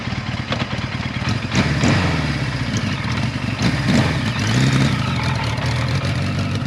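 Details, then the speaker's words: Kawasaki Z1 after revival, riding in a parking lot: rough, uneven four-cylinder burble, down on power and not revving cleanly; points later found out of adjustment, advancer sticky, oil seal behind it leaking. "Now, as we get this bike going and we start cruising around the parking lot, you can hear the performance is just not there. It was really down on power. It wasn't running correctly at all given, you know, the work that we did to it."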